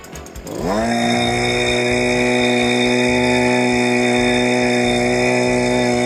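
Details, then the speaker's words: Stihl BG86 hand blower that would not rev up and had no power, restarted after its carbon buildup was cleaned off and before carb adjustment. Fires up and climbs to a clean, steady high note without surging, sounding much better. "Now we're You can hear it. I can feel it. That's already sounding a ton better."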